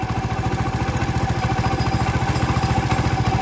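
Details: Hero Honda motorcycle, in a timing chain noise repair context: quick, even idle beat that holds steady with no clatter or chain rattle; sounds like a normal idle.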